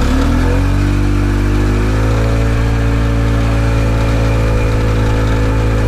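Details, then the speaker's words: Harley golf cart engine after retiming, which previously ran faster in reverse than forward: pulls up smoothly into an even steady drone, no misses or knocks; runs much better than before; belt may slip from clutch oil, carb leaks fuel. "definitely runs a lot better than it did before"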